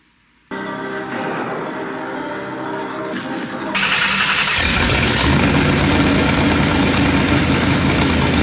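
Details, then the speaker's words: Volvo wagon swapped with a 2-valve 4.6 V8, first start: the engine catches after cranking and settles into an uneven, spitting, lumpy rough idle; a red light, number three, was suspected to be AFR. "hit God dang it's spitting spitting"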